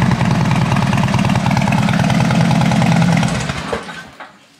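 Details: 2012 Harley-Davidson Dyna Switchback FLD after new battery and oil service: lumpy loping V-twin beat at about four pulses a second, steady until switched off and winding down; runs cleanly, normal.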